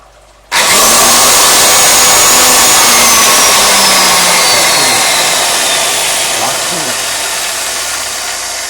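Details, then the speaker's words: BWS 230 angle grinder (2000 W) run directly on 220 V with no soft-start; snaps to full speed with a harsh, hissy high whine that slowly sags, flame arcing at the brushes. Brush arcing. "o să vă arăt acuma cum Flame fază la peri cu 220 de V fără niciun sistem de pornire adițional original"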